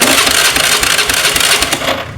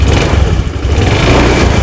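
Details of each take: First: Honda Scoopy scooter, owner blamed the new battery, but electric starter cranks with a busy hissy "kececes" chatter for two seconds and never catches; not the battery, weak half-dead spark plug suspected, spark checked before removing the plug. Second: Honda Scoopy fuel-injected scooter after fitting a new spark plug: engine catches and runs with a steady low thrum and smooth rev rise, no misfire or stumble; the weak old plug was the no-start cause, now fixed.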